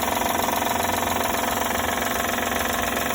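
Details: 2012 Honda Odyssey engine at idle, a noise typical of these engines; quick, very regular light tapping about four per second; owner suspects the belt sensor, with oil seen leaking; rhythmic ticking noise.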